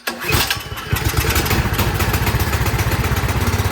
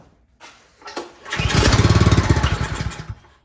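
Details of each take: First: Troy-Bilt 28-inch snow blower single-cylinder engine, after carburetor cleaning: short crank, catches and settles into a steady, even putter with no hunting or stalling; clogged carburetor was the cause, now runs normally. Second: Troy-Bilt 28-inch snowblower, full choke, primed: catches and stutters under two seconds with uneven rough pulses, then dies; spark good, fuel starvation, carburetor cleaned afterwards.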